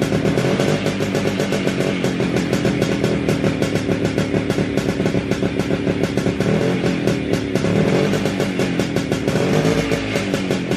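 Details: WSK 125 two-stroke motorcycle, engine rebuilt and refitted in the frame, at its first start after the overhaul. Crisp, even popping at a steady fast idle with music behind it; it fires cleanly and runs normally.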